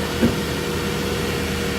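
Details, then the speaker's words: 2008 Nissan Pathfinder R51 on its first start after a fan clutch and belt replacement (the original failed, causing overheating): the fan whirs, then calms to an even idle with a soft whoosh, instead of the former hovercraft roar. "That's better. It started, you could hear the fan whirring, but it calmed right down."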